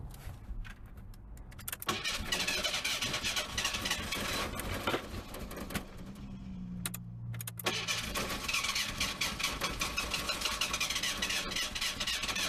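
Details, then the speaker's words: Barn-find Merkur with new battery, starter fluid sprayed into throttle body, no gas in tank: long starter cranking with handling clatter, never catches; cranks but won't start, owner suspects lack of fuel. "I don't think I got no fuel in it I think if I put fuel it'll start right up I really do"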